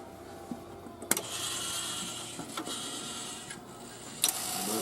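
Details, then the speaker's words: Rowe AMI CD100A jukebox first power-up after its mechanism control computer smoked, using a control computer not meant for the 100A: quiet whirring with sharp clicks as the changer plays stored selections from memory; mechanism cycling properly. "It's trying to play all the CDs that it was trying to play before, that it's been saving in the memory for Lord knows how long."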